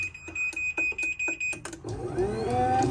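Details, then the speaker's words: Newly installed Chamberlain myQ belt-drive garage door opener, replacing one whose gears slipped and ground, running to its set up position: a few beeps, then a smooth, even whir that eases off near the end of travel; normal operation. "once they get to that desired position they actually slow down so it's not slamming shut"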